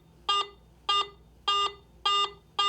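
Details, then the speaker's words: AT Pro metal detector in standard mode: five short, buzzy mid-pitched beeps about 0.6 s apart, the mid tone among its three tones, signalling a target of mid conductivity. "a target based on its metal type and its conductivity is simply reported by one of three different tones a low tone mid tone"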